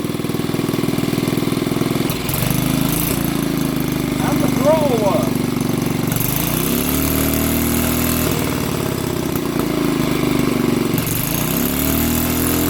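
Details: Old BSA 50cc single-cylinder engine, first run after years sitting under a bench: steady firing chug, revving up and settling back a few times; it runs.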